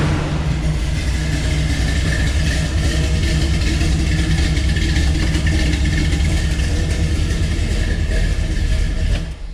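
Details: Chevelle V8 after resealing the intake, idling through the new mufflers: deep, even rumble with no hiss, misses or ticking; sounds healthy and properly sealed. Normal idle.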